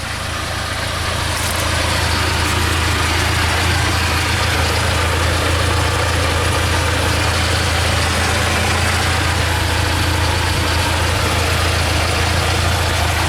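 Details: 2015 UAZ Patriot at idle, far from home: steady idle with a dull, fairly regular tapping underneath from the gearbox area, absent with clutch pressed, worse under electrical load; owner suspects a splined joint, cause unconfirmed.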